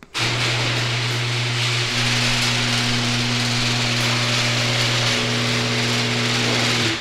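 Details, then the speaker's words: 1990s quarter-horsepower screw-drive garage door opener, before replacement: loud steady motor drone with rasping grind the whole run; old opener working fine, just loud. "for being from the 90s this garage door opener does work surprisingly well it's just that it's old school it's loud and obnoxious it's a screwdriver it's only a quarter horsepower"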